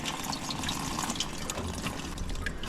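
Steady rushing, trickling water runs evenly throughout the clip, showing free flow through the radiator valve and drain.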